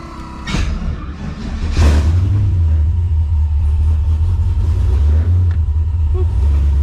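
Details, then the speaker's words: Ford Mustang V8 revving with deep rumble and uneven chuffing as exhaust escapes the open driver-side O2 sensor port; the sensor is removed and the plug keeps falling out, installed about six times. Exhaust leak at open O2 sensor port. "sounds like it's leaking out of here [Music] yeah so my o2 sensor on the um driver side is not there because because it had a plug and it keeps falling out"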